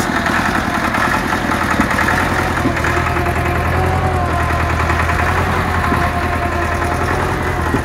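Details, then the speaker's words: Massey Ferguson 275 tractor, Perkins diesel, first start after starter replacement: rough idle with irregular lumpy beat, misfiring on one cylinder and white smoke; owner suspects a fuel-starved cylinder or injector, unconfirmed. "sounds like it's just starving for fuel on one in one hole try it again it's missing right there you can hear that Miss"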